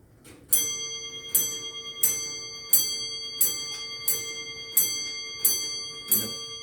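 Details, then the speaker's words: Comtoise (French longcase) clock just reinstalled on a hard tiled floor after a house move: nine clear, evenly spaced bell blows about 0.7 s apart at 9 o'clock, each ringing cleanly; hour strike counts correctly and sounds healthy. "ensuite on va regarder s'il à 9 heures elle sonne le bon nom de coûts a priori ça va tout le temps bien"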